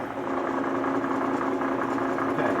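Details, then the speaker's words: Bridgeport milling machine head under power, cranked down to low speed before a top-half refresh: a busy, even rattle over a steady tone; the mechanic attributes this head noise to worn spindle bushings. "And you can hear just a little bit of rattle in this thing. Not much, it's not bad."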